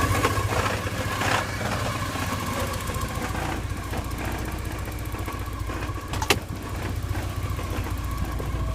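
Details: 1987 Porsche 944 at idle: uneven idle with a rough, gritty grinding rasp and an odd sharp clack from the clutch area. It seems better with the clutch pedal pushed in, and the owner suspects the clutch.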